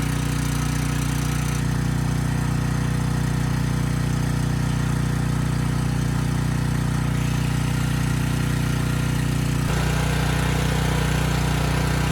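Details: Briggs & Stratton Storm Responder generator (engine 21T212-0116-G1), repaired after being stuck at TDC, final test set to 61.5 Hz and loaded to 3000 W: an even engine drone whose tone shifts slightly as load comes on. Speed holds at 60 Hz; normal running under load.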